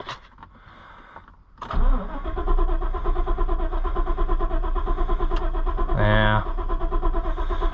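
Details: Ford Super Duty truck after replacing the fuel pump control module and a relay: starter cranks steadily at about seventy-five turns a minute but the engine never catches and no fuel pump hum is heard; owner suspects the fuel pump itself.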